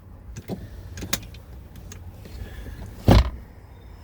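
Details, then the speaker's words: 2007 Ford Explorer, 115,000 km, passenger front power seat: short bursts of small electric motor whirring as the seat travels, with a few clicks between; seat motor works normally. "is power seat which seems to work"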